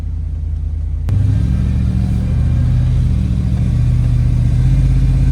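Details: TBI-injected dually pace truck on the road at about quarter throttle, before fuel pump replacement: a deep V8 rumble that surges, breaks up and stumbles instead of pulling. The owner suspected timing; the fuel pump was later replaced to fix it.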